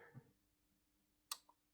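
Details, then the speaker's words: Replacement Philips Hue smart plug (2300 W) plugged in and switching on/off: single crisp dry click then softer second tick, a healthy relay; the failed old plug made no sound and showed no light. "là elle est allumée et là elle est éteinte. Et là on entend le contact sec."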